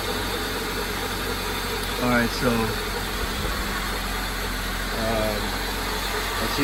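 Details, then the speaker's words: 1995 Honda Civic Si hatchback idling after swapping solid eBay racing-style lower motor mounts back to the original OEM mounts: a low, even drone with no vibration or rattle; normal idle. "it's also a lot quieter you know I'm not hearing the - you know vibrating or anything like that so it's just quiet as can be"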